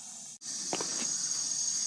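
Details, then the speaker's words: Old Maytag natural-gas dryer (model CDG46, 18,000 BTU), after replacing the high-limit switch for a low-heat problem, gas turned back on and the thermocouple-held pilot lighting: a couple of light clicks, then a soft steady gas hiss; pilot lit and burning normally. "so I'm going turn the gas back on all right you can hear the gas running"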